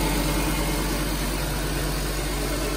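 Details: Nissan Grand Livina idling after replacing the AC pulley set, whose bearing was loose and dragging from flood water, causing a rough bearing noise; now steady, smooth idle with no bearing growl.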